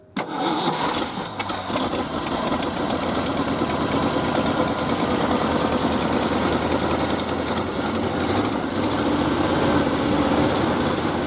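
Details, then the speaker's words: Early-1970s Ford F-350 that sat about 7 years, with old oil still in it: it catches after a brief crank, then runs lumpy and stumbling, barely holding an idle, rough running. "Oh, it actually sounds like it might idle."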